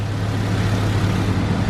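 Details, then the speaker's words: Single-cam Civic that came in with bad idle and codes, after crank fluctuation sensor wiring fix and timing corrected to 16 degrees advanced: starts a little slow, then steady even low rumble, no stumble; idle good. "certainly starts a little slow doesn't it yeah idle sounds good now"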